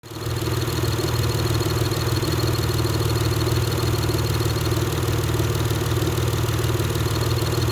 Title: Acura TL Type-S Clutch Chirping Noise